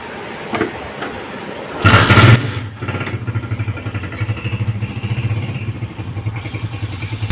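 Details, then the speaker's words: Honda motorcycle after engine noise repair without opening the engine: fires up and settles to a steady, even low thump with no knocking or rattle; normal idle. "दोस्तों यह back अब start कर दिया आप देख सकते हैं मसलन जैसा प्यारा सॉन्ग है आप बिल्कुल सोने कोई आवाज नहीं है"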